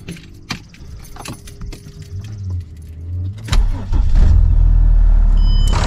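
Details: Stage 2 tuned turbodiesel with swirl flaps removed, catalyst deleted and opened-up exhaust; key and cabin handling noise, then diesel catches and settles into low even idle without misses or knocks; normal idle.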